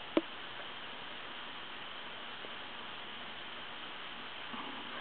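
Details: Wood wall telephone in for repair, heard on the receive side after breaking dial tone and dialing; steady rushing hiss fills the earpiece with one sharp click near the start, noisy line of unknown cause.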